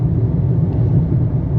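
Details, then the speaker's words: Toyota Corolla 2023 on its first highway trip, São Paulo to Mato Grosso, about 400 km driven, recorded in cabin: loud, steady low droning tyre roar; excessive cabin road noise from poor acoustic insulation. "E o barulho é ensurdecedor."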